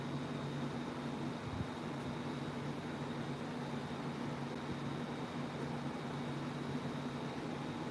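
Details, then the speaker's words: Unbranded 28" tower fan running on a blade motor swapped in from a dead 2010 Aloha Breeze 32" tower fan 87120. Steady low hum with a thin high whine that sounds weird; cause not pinned down. "that is so weird it's making a weird noise"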